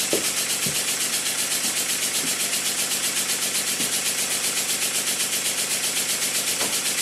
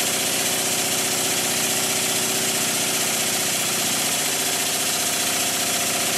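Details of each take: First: Model steam engine made circa 1896, rebuilt, run on air on cardboard: soft even exhaust beats about two per second over steady hiss, no knocks; valve timing perfect, early admission cushioning; crank pin known too thin. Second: Rebuilt circa-1896 model steam engine run fast, finger pressed on flywheel for load: fast busy chuffing with a light knock each revolution; too-thin, weak crank pin starting to knock and getting worse.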